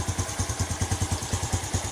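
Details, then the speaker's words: Yamaha Jupiter Z1 after Satria FU regulator conversion, battery reinstalled and electric-started: quick even exhaust pulses at steady idle, no misses or clatter; runs smoothly, regulator charging battery normally. "Nah ini hasil dari perombakan menggunakan regulator Satria FU tadi inilah jadinya motor Jupiter Z1 menggunakan Satria FU ya"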